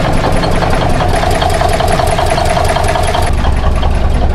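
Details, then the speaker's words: 1981 Kenworth cabover diesel at first start of the morning, good oil pressure, building air: loud low idle with uneven lumpy knocking pulses instead of a smooth beat; rough idle, cause not yet known. "She's got good oil pressure. [Music] Boy, that don't sound good."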